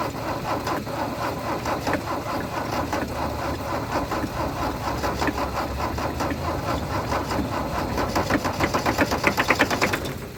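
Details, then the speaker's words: Mercedes W123 300D, 3 L diesel parked 20 years, cranked with a jump from a Yaris battery. Rhythmic chugs try to catch near the end but never run. The owner suspects no fuel is reaching the injectors. "she's getting pretty close pretty close so close right I'm going to have to get some diesels for this thing and stop messing around"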